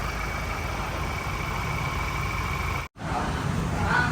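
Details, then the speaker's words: Ford Raptor diesel after engine work, idling: harsh, uneven clatter under a steady idle, wrench warning light came on at 120-140 km/h; rough running blamed on injectors, all four to be replaced. "อ่ะกอร์ดแรปเตอร์นะครับกับFCที่ถามมาว่าเสียงเครื่องยนต์ไม่เพราะเลยนะฮะเสียงเครื่องยนไม่เพราะนั้นนี่เกิดจากหัวฉีดนะ"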